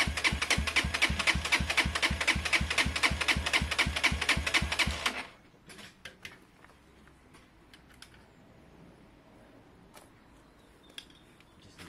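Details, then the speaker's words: SYM XS 125 single running after swapping a gummed-up carb for a new up-jetted one; crisp even popping about four beats per second for five seconds, then shuts off; runs and rides fine, probably needs a service. "runs rides idle is great probably needs a bit of a service"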